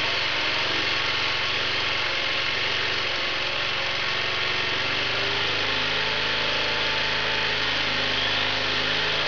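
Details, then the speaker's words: Small 750 W generator running on wood gas from a gasifier, at governed wide-open speed before a 600 W grinder load test; even, steady drone picking up revs slightly toward the end, no misfires or hunting, healthy. "So that's about wide open as far as, you know, as the generator normally runs. You can hear it as it's starting to pick up a little RPM now."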